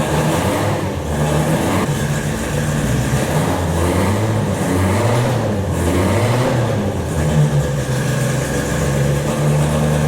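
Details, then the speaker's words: Ford Escort RS1600i race car, cold start: engine held on repeated throttle blips, rough and lumpy between them; like all race cars it won't tick over until warm, then idles quite high; normal cold race engine revving. "obviously we like all race cars they never tick over until got warm and then they usually tick over quite high"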